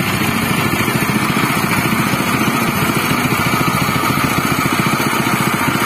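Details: General CX200 6.5 hp, 196 cc single-cylinder air-cooled 4-stroke OHV petrol engine (pull start, 20 mm shaft): fast, even putter at a steady speed with no knocks or misses. It is running normally and smoothly.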